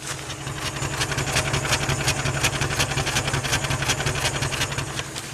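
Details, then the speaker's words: 2001 Jeep Wrangler 4.0L, second engine, 379k miles, new plugs and coil pack, codes P0300 plus cylinder misfires: lumpy idle with a repeating stumble about three times a second, shaky when revved; one cylinder is not contributing. "and at least one cylinder is not contributing now if we rev this thing up pretty smooth now it's shaky"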